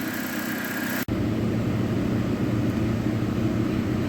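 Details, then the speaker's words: Dodge Caliber after the relay box relocation; with the radiator cover removed it cooled off. A steady, even whoosh as the cooling fans run on low speed over the idle, with no flutter or bearing noise; normal. "As soon as I removed the cover from the radiator, it cooled right off and the fans went back down onto low speed."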